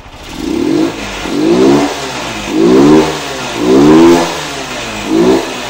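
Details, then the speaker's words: 1999 Honda Titan revived after sitting a long time, throttle blipped: a faint light knock under the revs, with smoke and light valve tapping. The mechanic suspects connecting-rod play, not confirmed. "ó Mas pela aceleração aqui a motinha tá boa não tá ruim mas tá com um barulinho parecendo que aela batendo esse barul a ó pode reparar esse barulhinho aí pr mim ele é de Viela esse aí"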